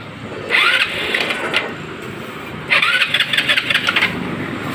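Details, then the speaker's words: Motorstar Easy Ride 150 motorcycle with weak ignition primary, converted to battery-operated ignition with a Win 125 CDI: two short bursts of starter whir, then the engine catches and fires, a normal start. "So kinonvert na lang natin siya ng battery operated. Yan, naikabit na natin yung Quaco, then paandarin natin ngayon."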